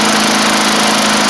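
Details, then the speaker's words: 1990s MTD Yard Machines push mower, old-style Tecumseh primer engine, after moving the throttle cable/screw in so it throttles up better; fast, smooth, even buzz with no misses or surging, normal running. "I also moved the throttle cable or the throttle screw in some, so it's throttled up much better now too. Just need to let it run for a little bit."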